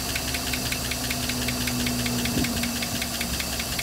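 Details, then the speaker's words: 1956 Buick Century, just started, oil pressure gauge turning green then red: light, fairly regular ticking at about two or three per second over a lumpy idle; suspected upper valve train noise. "still hearing some uh upper valve Tran noise in it"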